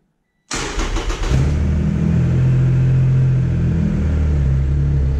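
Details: Triumph Rocket III triple after a TPS adjustment and idle control valve reset in TuneECU. A clean start with a brief rev, then a deep, steady, even idle with no hunting. Normal start and idle.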